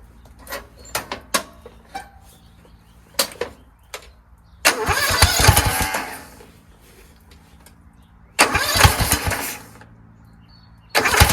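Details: Kohler Courage engine on a tractor, started on choke after a cylinder head swap, carburetor replacement and valve lash adjustment; it catches in short rough bursts and won't keep running, still the same as before. Owner suspects the throttle bracket and its return spring.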